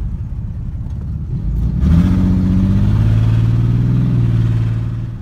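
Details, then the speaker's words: Mustang under hard acceleration: uneven, stumbling rumble and irregular pulsing instead of a clean pull, a misfire cutting about 75% of power, likely from bad spark plug wires and spark plugs. "let me try to step on it you hear that like like kind of like rumbling noise that's how you know it's like a misfire cause it cuts like 75% of your power and it just feels super bad"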